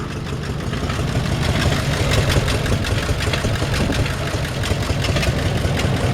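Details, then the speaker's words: 1952 Ford F1 truck running cold with a low, slightly uneven idle and a fast, crisp ticking on top from a small exhaust leak. "got a little exhaust leak as you can hear from just from listening right"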